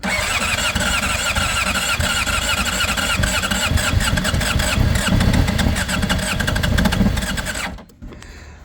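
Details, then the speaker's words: 2005 Honda CBR600RR, about 38,000 miles, long unused, on a booster with injectors primed: long cranking, then it catches and revs roughly, running several seconds. Little blue oil smoke at first, antifreeze leaking; starts after long storage. "She's going to go. No way. Wow. Woo. It's alive."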